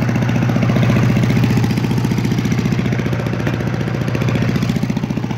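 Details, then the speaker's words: Simplicity 5-25 self-propelled leaf vacuum/shredder, 5hp 206cc Briggs horizontal engine, freshly tuned up, 20-foot hose attached, on low speed: even steady thump with strong airy suction rush. Normal low-throttle running. "you can even hear the suction already and that's on the low"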